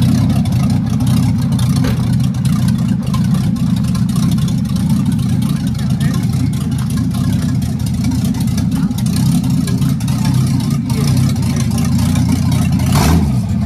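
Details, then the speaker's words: 1967 Chevy 4x4-converted van, V8 with brand-new untuned carburetor, timing set by ear, temperature starting to rise: deep steady rumble rising and falling evenly with throttle, no knocks or misses; normal running and revving. "she sounds good yeah that's a that's a good sign that's a success good sign"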